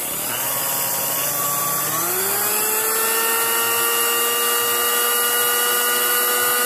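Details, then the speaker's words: Sunbeam Mixmaster 12 mixer at speed position one after low-RPM adjustment, nylon gears and metal pinion regreased: even motor whine at steady pitch, beaters about four turns per second, slight regular roughness; running normally at low speed. "That's supposed to rotate about four times a second. And that's about right. And it's a little rough, but everyone I've heard on YouTube is a little bit rough."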